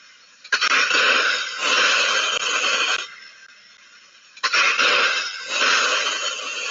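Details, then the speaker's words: Ultrasound recording of a hydraulic piston accumulator, one of four on a system running a pressure diffuser at a pulp mill: two long, harsh hissing strokes about four seconds apart, different from the others. This accumulator has lost its gas charge. "so what you're listening to there is is the the cylinder that had lost the gas charge and the only reason we knew that is it was different to the others"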